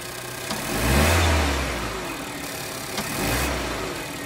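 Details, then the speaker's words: Healthy Renault 1.2 TCe petrol engine with LPG, 200,000 km, oil changed every 10,000: two smooth blips from idle with no alternator clutch rattle; a faint pop on throttle opening, always present. "używam częstą wymianę oleju co 10000 dodatki tak jak na moich filmach nie ma żadnych trzasków teraz dodam"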